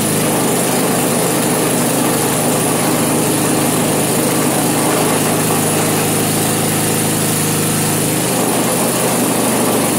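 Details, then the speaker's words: Vintage snowblower, small engine on its first start test, choke partly backed off. Holds an even, steady buzz with no stumbles or knocks throughout; sounds healthy. "I can work with that all right that doesn't even sound too bad no kidding well that might be all right"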